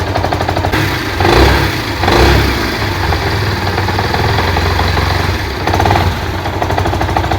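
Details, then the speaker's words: Yamaha SZ-R motorcycle after engine and clutch work elsewhere, idling after self-start: uneven knocking about once a second from the clutch housing side, loudest on the right-hand cover; exact cause not yet identified. "इसका sound जो है इधर कलज side से है कलज का housing side में है दोस्तों"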